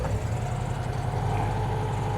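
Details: Classic Saab barn find, stored 32 years: steady, even low idle with a smooth beat and no puffing or chuffing from the exhaust. Normal idle.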